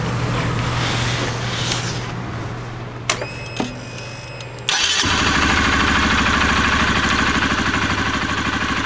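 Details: Honda CBR125R single-cylinder restarted after a temporary fix to a rusted, sparking spark plug cord, which had caused ticking while riding. It settles into a steady, even idle with no misfire.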